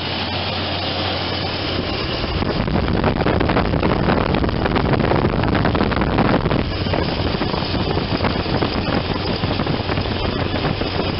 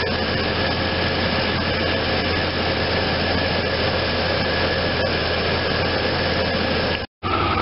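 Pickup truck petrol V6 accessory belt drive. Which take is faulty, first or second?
first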